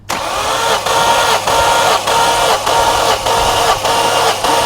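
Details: Car with a coolant leak cranked by the starter during a compression test reading 180–190 per cylinder: even, regular compression pulses about one every 0.6 seconds with no uneven beats. Healthy cranking, with compression well within specs.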